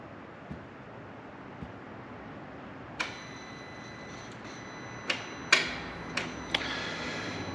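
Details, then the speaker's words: BMW M2 Competition (N55/S55) after crank hub and eccentric shaft actuator replacement, resetting limit positions: sparse, uneven sharp ticks with faint metallic ring from the Valvetronic eccentric shaft actuator, which was at its end stop; ticking from engine top end. "that's the Centric chat when you hear that so like normally it shouldn't sound like that if I redo it again it'll probably sound a lot better cuz it was at the end stop from where I put it in at that was weird"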